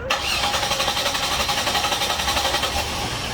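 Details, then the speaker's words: 2001 Chevrolet Monte Carlo 3.8L with random stalling, stumbling and intermittent no-start. Steady rapid starter cranking, about four chugs a second, going on without catching, then it finally starts; cause traced to a failing ignition module. "and that's the longest cranking that i've got so far well and there it goes starting again"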